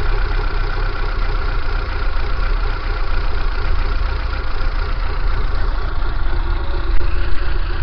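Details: Kia Pride at idle: deep, uneven rumble with a lumpy, unsteady beat and abnormal shaking; cause unknown. Rough idle.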